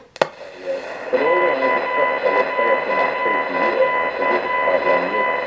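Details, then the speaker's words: ATS-25 radio tuned to BBC Radio 4 on longwave with the telescopic whip: a rapid pulsing buzz over the signal when the screen is on, not from the button; touching the case reduces it. Significant interference noise generated by the display. "now that pulsing noise i think [Music] you know it's not when i touch the button it's coming from the screen"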